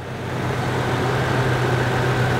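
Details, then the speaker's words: Old Toyota 4Runner with 386,000 miles, idling for comparison with a noisy new 15,000-mile 2020 4Runner: low smooth even idle rumble with no ticking or valve train rattle; quiet, healthy engine. "yet it makes a lot more noise than this old 4runner that has 386 000 miles on it as you can see check it out here's the old one"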